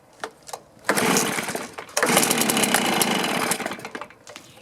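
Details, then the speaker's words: Stihl BR450 two-stroke blower, cold start on choke after carb cleaning, new fuel tank vent, new fuel filter and coil air gap set: ragged bursts, stumbles and fades, poor throttle response; low-side mixture opened to correct lean condition. "she wants to Fire's not real responsive so I'm going to open up the low side a little bit and see if we can correct that"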